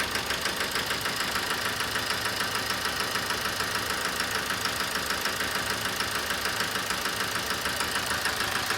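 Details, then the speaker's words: 2007 Toyota Avensis D4-D diesel with low power, ticking noise and flashing engine light; hard, even knocking at idle, about 200 per minute; cutting off one injector makes it smoother with less knocking on revving, pointing to a bad injector. "sounded better when the injectors cut off we've got a bang in there the one jake the four again oh put it back on so that's the cylinder the cut off on and it actually sounds better let's rev this you hear that there's less knocking when that injector screw off"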